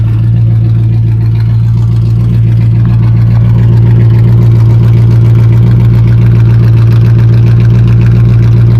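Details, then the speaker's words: Smooth idle on a 1972 Dodge W100 Power Wagon, 318 V8 automatic, mostly stock with cast iron manifold: deep, even V8 beat with no misses, knocks or ticks. Radiator has no water, so it was shut off soon. "She sounds really good. Like, I'm surprised. I don't even like these engines, and it's probably the smoothest sounding 318 I've ever had."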